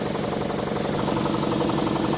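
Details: Campbell Hausfeld air compressor after repair of a water-damage lock-up: fast, even pump chugging with a steady hum, no knocks or grinding, building pressure normally; blowoff valve leaks and needs replacing.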